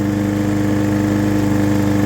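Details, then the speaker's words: Hyper Tough lawnmower HT17-095-033-47 after replacing the dirty carburetor that had bad gas; small single cylinder holds a fast, even idle with no hesitation, surging or stumble; runs healthy. "That's what it's supposed to sound like. I was getting hesitation."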